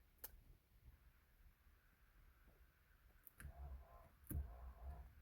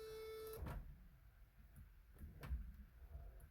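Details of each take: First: 1983 Mercedes 380SEC (W126) sunroof, key on, engine off, battery low: faint motor hum with scattered sharp clicks and no steady drive; sunroof drive clutch not tight and slipping, adjusted afterward. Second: 1983 Mercedes 380SEC (W126) power sunroof after clutch adjustment, engine off on a low battery: short steady motor whir, then a clunk and soft knocks as the roof moves; sunroof works, just slow from weak battery.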